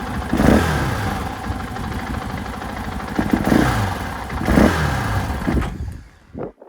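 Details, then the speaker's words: 2024 KTM 500 XW-F on stock ECU and stock emissions setup: engine barks up on each throttle blip but stutters and falls flat before catching, then dies; a stumble off idle, flames out easily when the throttle is whacked. Vortex ECU is the planned fix. "yeah it does that when you're riding it too if you whack this throtle just kills it I mean it Flames out very easily"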